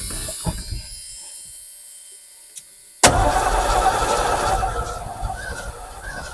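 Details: 1986 Ford F150 sat for years: starter grinds the engine over with uneven chugging, never settling into a running idle; later loses power, traced to blown fuses.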